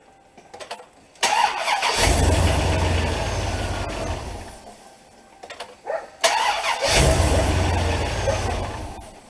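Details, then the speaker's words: 2003 Silverado HD 2500 8.1 V8: on two start attempts it turns over sluggishly at first, then speeds up and fires; slow initial cranking attributed to a worn, dragging starter motor. "it kind of cranks over slow at first when you first hit the starter and then it speeds up and starts"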